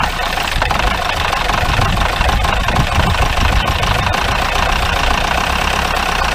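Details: 1953 Mercedes 170D (W136) four-cylinder diesel, once-seized restoration project, recorded at the rear while idling: loud, rough clatter with sharp irregular knocks and smoke, cleared up a little; owner suspects shot injector nozzles, unconfirmed.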